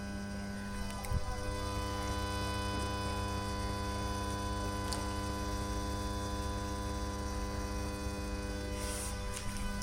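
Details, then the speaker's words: Lepy LP-2020 amplifier, new delivery: steady low mains buzz with faint hiss continues unchanged at volume zero, even with audio input removed and TV and preamp off; faulty amplifier. "Volume level is 0, but is hissing sound is still coming."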